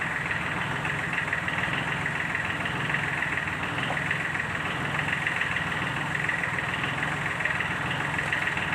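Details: Sunshine L1-255 tractor with D1462-TV diesel at idle: an uneven knock about once a second under a rough, clattery note; fixed by replacing the valve seat and piston rings.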